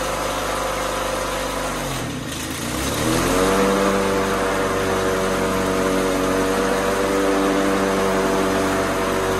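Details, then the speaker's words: White LT1650 Hydro riding mower with Briggs & Stratton engine after the hard-starting fix, started by key with the seat safety disconnected and blades engaged in reverse: after a brief dip it settles into a steady, clean, quiet run; normal running. "well I'm sure on video it just sounds like screaming loud Mayhem but this is the quietest quietest it has ever been and that key fired right up"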